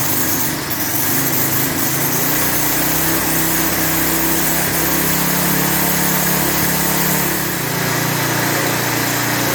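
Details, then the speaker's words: Lawn edger with 3.5 HP Tecumseh single-cylinder engine, after properly installing the air filter: steady, even high-pitched buzz with no misses or surging; runs smoothly, normal running. "It's running better than I thought it was going to. I ain't gonna lie to you. Once I properly installed that air filter, that engine smoothed out nice."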